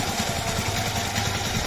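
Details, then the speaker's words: Yamaha R15 V3 after cylinder block replacement, even steady single-cylinder idle thump, no slap or tapping, head quiet; normal idle, only slight balancer gear noise remaining. "যদি দেখেন bike কিন্তু স্টার্টে স্টার্টে আছে কিন্তু কোন শব্দ নাই। মানে ইঞ্জিনের কোন শব্দ নাই।"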